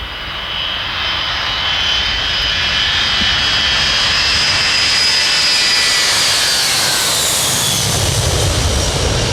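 Steady roaring takeoff thrust with a high whistling whine that rises and fades; engines spool smoothly with no pops or surges, a clean takeoff.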